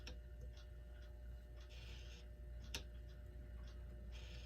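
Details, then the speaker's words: Seth Thomas electric chime mantle clock motor: quiet mains hum with brief buzzy bursts about each second as rotor starts, moves sideways and jams; owner suspects magnetic field pulling flywheel against housing, or greasy dirty gears. "this flywheel here when I turn it on the magnetic field seems to pull it up against the housing which seems to jam it but I'll try to show you let me turn it on starts to go moves to the side and stops"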